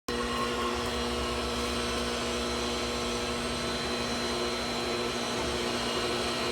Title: Pool pump making grinding noise and making weird noises part (2/2)